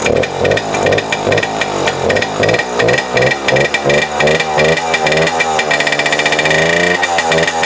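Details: A 1997 Suzuki JR50, a 50cc two-stroke single-cylinder geared children's dirt bike, is being run after restoration. It gives a buzzy crackle that rises and falls with throttle blips, then settles into a steady ring-ding; it runs fine.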